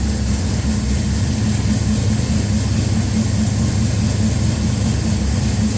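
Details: Henry J engine freshly started with an untuned Sniper EFI and replacement GM HEI module, idle-air screw opened, warming up: smooth, even low rumble with no misses, knocks or hunting, getting louder as it heats; normal idle.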